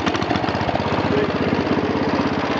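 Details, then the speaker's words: 1966 John Deere 110 garden tractor, 8 hp Kohler single-cylinder, oil not yet changed after sitting: idle pulses of about twelve a second with a faint, light valve ticking on top, judged not a big deal. "you can hear the valves ticking a little bit, but you know, little mess, ain't no big deal."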